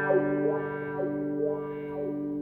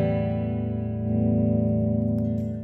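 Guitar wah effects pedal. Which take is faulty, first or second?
second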